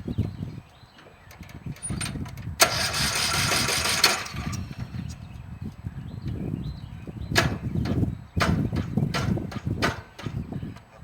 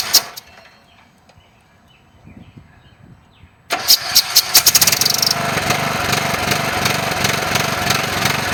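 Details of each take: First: Briggs & Stratton riding lawn mower engine, cylinder head drilled as a fix: several uneven cranking attempts after rotating the engine backwards, then the single-cylinder catches and runs in bursts; hard starting from failed compression release. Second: Briggs & Stratton riding lawn mower with compression release issue, muffler resealed with JB Weld compound: fires up quickly and settles into a steady, even run with no misses.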